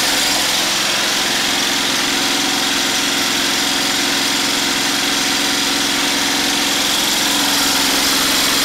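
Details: DIY 12V DC gasoline engine-alternator generator with inverter, under 500 W plus 1500 W heater dummy load, about 80 A continuous, not getting too hot: steady, even drone at constant speed, no hunting, knocking or misses; normal running under full load.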